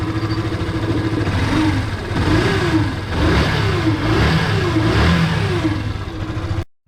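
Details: Yamaha FZ (16, 2.0 or 3.0) engine revving with a rough, uneven whine rising with revs, heard when the stator is connected. It is caused by burned stator windings and often mistaken for crankshaft bearing, piston or timing chain noise.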